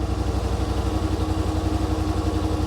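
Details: 2021 Yamaha Wolverine RMAX XTR 1000 4-seater, idling in cab, about 75 dB: fast, regular low thrum with even pulses, no misses or knocks; normal idle.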